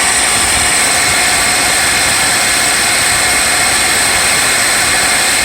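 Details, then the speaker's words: 1999 Mercedes S500, second start of the day after new valve covers, oiler tubes and engine mounts (ticking gone): steady high-pitched bearing whine over the running engine from the pulleys. "So this high-pitched bearing sound, it's a bearing noise from the pulleys."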